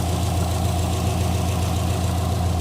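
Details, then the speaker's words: Rebuilt Subaru boxer engine, warmed up, after reinstallation and timing correction: deep, even idle burble with no clicking or ticking. The earlier clicking under the car is gone; owner believes timing being one tooth off caused it. Normal idle. "So, as you can hear, it sounds drastically better."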